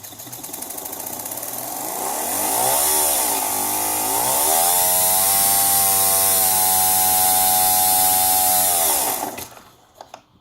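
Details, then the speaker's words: Volkswagen Golf Mk4 fuel pump motor bench-tested on an adjustable power supply at 2 volts, 0.5 amps: loud high whine wavering in pitch, then spins down; owner suspects a bad bearing. "You hear that sound? Sounds like a bad bearing for me."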